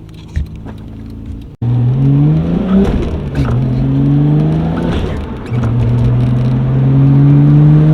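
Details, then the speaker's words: R32 Nissan GT-R on the road, coilovers maxed out: engine note climbs smoothly through each pull with crackles on throttle lift, normal turbo spool and exhaust pops. "Do the turbo spool. It sounds so nice."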